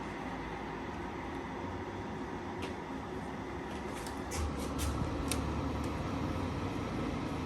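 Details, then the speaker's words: Midea U-shaped 10,000 BTU window air conditioner, new, cooling on automatic then fan speed changed: steady airy rush with soft low hum and faint clicks, growing slightly louder as fan steps up; normal running. "so that's the sound it's making i think it's more uh more noise that i was expecting"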